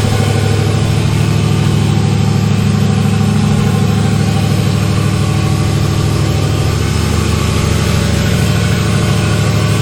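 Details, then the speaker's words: LS1-swapped Chevy S10, cold idle with no intake tube or air filter fitted yet, still needing a tune: steady deep V8 burble held high at about 1500 RPM. "It's been idling, cold idle. It's idling about 1500 RPM."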